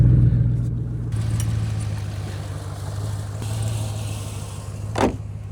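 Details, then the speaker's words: 2012 GMC Yukon first start after replacing the fuel pump control module fuse, exhaust cut off: deep, loud, raspy rumble swelling with revs, far louder than stock, from the missing exhaust pipe. "It It's literally running. Sounds like a hot rod cuz some kid cut the exhaust off it."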